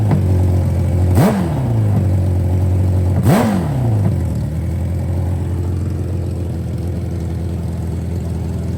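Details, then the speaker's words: Revived 500hp nitrous Hayabusa after long storage: two quick throttle blips, then it settles to a steady but fast idle instead of dropping low; still a high idle, owner suspects something assembled wrong, computer not yet checked. "So, we still got a little bit of a high idle."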